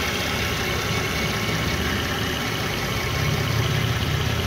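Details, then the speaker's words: 2014 Hyundai Santa Fe after damaged-engine repair and new water pump, parked for a few months: steady, even idle rumble with no knocks, ticks or misses, comes up fine with a little throttle; engine sounds healthy. "You see like you want a little gas to it. Alright, coming on fine."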